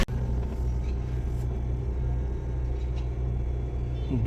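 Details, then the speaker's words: Suzuki Swift with the AC on, after repair of a droning hum and vibration that occurred only with the AC running: a smooth, steady low rumble with no droning or rough vibration, and the AC cools better. Normal AC operation. "Ini lebih halus lagi dites. Dingin sih. Lebih dingin tuh."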